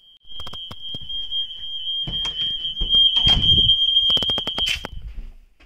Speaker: দেখো আবার এরকম ফায়ার অ্যালার্ম বাজছে রাত্রিবেলা।